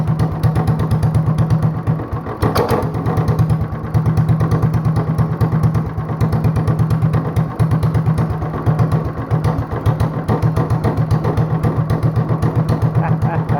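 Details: Honda clone single with 10 lb cast-iron flywheel, cam modified, no governor; slow evenly spaced solid thumps about four per second, loping at roughly 500 rpm like a hit-and-miss engine; normal very low idle.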